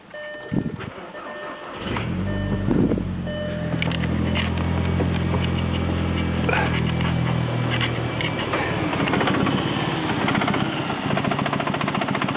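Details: VW 1.8T AWP, cold morning start: catches, then an uneven loping idle that stumbles and stalls repeatedly; codes 17535/16556 system too rich; rough cold idle from a faulty MAF sensor, fixed by replacing the MAF.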